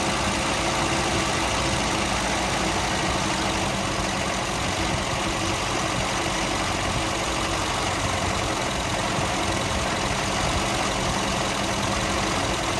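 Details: 1971 Volvo 142 with B20B engine, just got running: steady even idle with no knocks or misses under a fair hiss; runs healthy.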